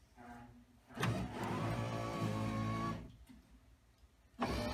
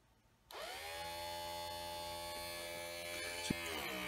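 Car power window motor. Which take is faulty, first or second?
second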